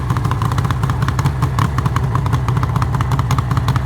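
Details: 1974 Suzuki GT750L water-cooled two-stroke, first start after rebuild from boxes after six-plus years; fast even popping idle with steady low burble, a leak noted.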